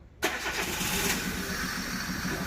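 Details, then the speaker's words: 2013 Chevrolet Spark 1.2 with code P0352 (coil B circuit) and severe misfire on cylinders 1 and 4, coil already replaced without success: cranks, then an uneven, lumpy, stumbling idle. Cause traced to a coil circuit wiring fault. "Y bueno, aquí claramente nos representa un P0352 que habla del circuito de la bobina B, tanto el circuito primario como secundario."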